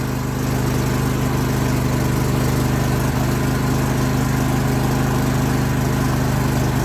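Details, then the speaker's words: John Deere L130 mower after exhaust muffler replacement (part GY21132); smooth, even low thrum at steady idle, about two beats a second, much quieter, no exhaust rasp or leaks, a little steam; normal idle. "we'll give it a start without that on, just because, and we'll see what it sounds like. Oh yeah, that's a lot quieter."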